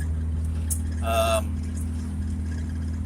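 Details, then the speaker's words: BMW E36, after new coils and plugs, warm with coolant gauge centred, fans off, AC belt removed: low, even idle with steady hum and slight burble, no misses; normal idle. "um but yeah she's running fantastic trolls and plugs definitely did their job"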